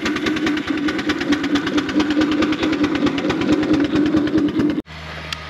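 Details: 4-inch Foster steam traction engine "Dolly", winter steam test after boiler retubing, working under load at only 55-60 lb pressure, regulator wide open; crisp, even chuffs roughly two a second, sharp and regular, then stopping; normal exhaust beat.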